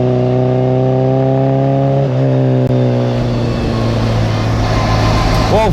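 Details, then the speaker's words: Classic Mini, 1330cc A-series engine, carbs balanced, timing about 12–15° BTDC: crisp steady idle, then clean rising revs without misfires or pops; running strong and well tuned. "folks, as you can hear, this thing is an absolute weapon. I cannot explain how good this thing actually goes."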